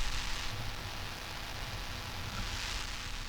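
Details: Desktop PC microphone/headphones: constant hiss with low hum underneath and no voice; foreign electrical interference, attributed to power issues such as a loose connector or faulty connected device, or mic too close to computer electronics.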